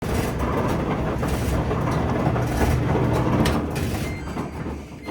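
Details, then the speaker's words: Samsung dryer DV42H5600EP before rebuild: loud heavy rumble with a rough scraping edge as the drum turns. The front felt seal is worn away, so metal rubs on metal, likely from a broken drum support wheel. "This is where most of the noise is coming from because it's metal rubbing against metal and it probably wore like this because of that broken dryer drum wheel."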